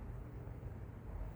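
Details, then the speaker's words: BMW E90 N52 idling with a low steady rumble and no rpm dips after sealing a cracked hose vacuum leak; before the repair the idle dropped and recovered repeatedly at stops. "It does not drop the idle."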